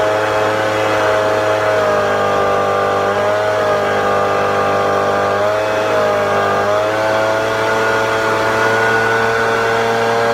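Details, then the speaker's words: Echo 770 blower at wide open throttle, high-speed carb screw deliberately turned down: high full-throttle scream sags in pitch three times and recovers; lean bogging at wide open throttle. "I will I'll tune it down so you can kind of hear it struggling and then I'll turn it and crank it back up and we'll see if you could tell the difference"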